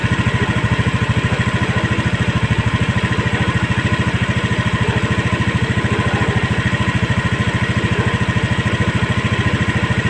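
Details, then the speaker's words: Honda Scoopy eSP single-cylinder scooter, idle raised to a stable 1600 rpm via the throttle body air screw to fix non-working idling stop; steady even beat, no stumbles or knocks; normal idle after adjustment. "putaran stasioner nya sudah stabil di angka 1600 Sekarang kita coba lagi buat Jalan Apakah sudah bisa berfungsi idling stop nya"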